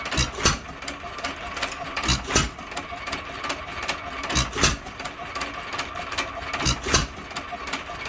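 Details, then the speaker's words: Hit-and-miss engine, believed a 1 1/2 hp Hercules, after cleaning the ball governor and latch-out and fitting a softer governor spring, speed lever mid; sharp firing pops often in pairs with one-two second coasting gaps, now much slower, healthy governed speed. "that certainly slowed her down a good bit"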